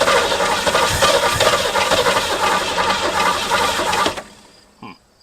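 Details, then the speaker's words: 1967 Mustang barn find just fitted with a Holley 2-barrel carburettor: starter churns about four seconds with uneven firing that never catches; cranks but won't start, possibly flooded but unsure. "seems like it's flooded but also not hold her wide say not"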